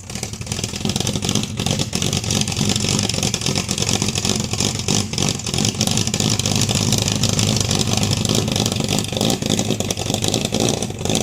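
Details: 1971 Dodge Dart with a 318 V8 and a hard-start problem, now running after the choke was adjusted. It picks up cleanly on repeated blips and settles to a steady run with no stumbling; normal running and revving.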